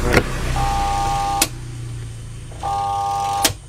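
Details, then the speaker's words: Sharp ES-T65M washing machine that washes but won't spin-dry: switch click, then a steady electric hum with no spin-up, cut by another click, heard twice; the spin motor hums but does not turn. "dapat kedengeran enggak bakal ada ada suara ngedengung teman-teman ya Ada suara dengung teng teng teng teng teng"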